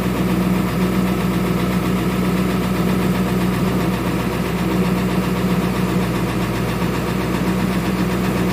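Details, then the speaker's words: 2000 Ford Excursion 7.3 diesel, hard cold start, restarted after a cold soak: rough idle with uneven stumbling cadence, at least one or probably two cylinders misfiring; relative compression test shows low compression, contribution codes for cylinders 3 and 8; engine needs major work. "you can hear the cadence of the engine there's at least one cylinder probably too better misfiring"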